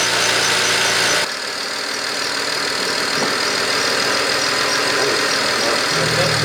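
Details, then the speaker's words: BMW E92 335i, first start after misfire repair with new spark plugs, a coolant leak still unresolved: a steady, even idle with no stumble under a hissy background while smoking heavily; the misfire is gone, a normal idle. "turn it on [ __ ] that's just smoking up a storm in here first start"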